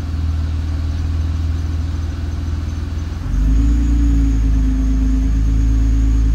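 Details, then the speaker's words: Nissan R35 GT-R with transmission touch points set excessively high: engine lugging while creeping gives a low, heavy drumming rattle about three pulses a second, not a bell housing fault. "Do you hear that noise? That rattle? Anytime anybody hears that rattle, they think it's a bell housing. It is not. It is the engine lugging due to excessive uh touch point uh preferences."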